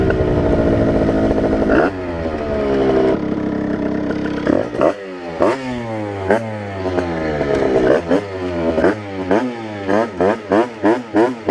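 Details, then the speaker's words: 80cc tuned two-stroke Rieju RR moped on 4% oil mix, after needle change and 148 main jet: crisp revving cleanly through the gears, even pull with no bogging; runs well with strong power. "by changing the needle and also having a 148 main jet I feel like it runs pretty good now and it's just insane power"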